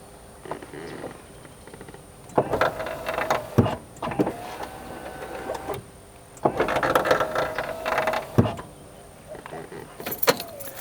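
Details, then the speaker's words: Porsche Boxster power window operated: two passes with harsh grinding, creaking and labored whir as the window regulator cables bind, indicating the regulator needs replacement. "How we can tell this car needs a new window regulator is when we operate the window, we can hear the regulator cables binding and"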